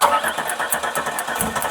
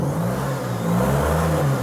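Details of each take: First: Vehicle sitting 20 years, fuel rail with clean gas, injectors tapped with punch and hammer during cranking: rhythmic starter cranking with metal taps and odd weak catch; crank no start from clogged fuel injectors. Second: Firebird that sat 20 years, first run after tapping stuck injectors, straight-piped exhaust: a deep, steady, even rumble with slight rev swells and no misfire or stumble; it runs smooth with good oil pressure.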